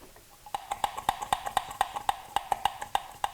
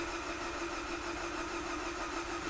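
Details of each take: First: Viewer's car towed in with coolant in oil, told blown head gasket: cooling system pressurized with pump, dipstick removed; frying-egg sizzling, bubbling from oil dipstick tube, quick wet popping about four a second, absent once pressure drops; internal coolant leak into crankcase. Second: Viewer's car with coolant in the oil, said to have a blown head gasket, cranking in clear-flood mode during a combustion-leak test: even, steady compression cadence, and no combustion gas is detected in the coolant; normal cranking compression.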